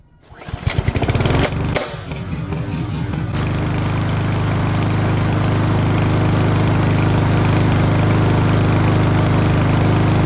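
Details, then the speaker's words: MTD Powermore 139cc walk-behind mower at its spring tune-up, started on choke: the pull-start catches and settles into a steady, even low chug with no misses or knocks. The engine runs healthy despite sucking up a glove and spitting it out. "Yes, sounds like she's working perfect."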